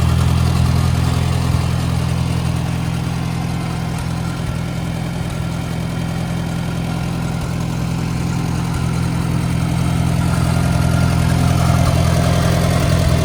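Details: A 1961 Farmall 140 with an added magneto, new plugs and plug wires, and a muffler from a Super A idles relaxed with a steady, even low thump from its four-cylinder and no knocks or misses; it runs healthy.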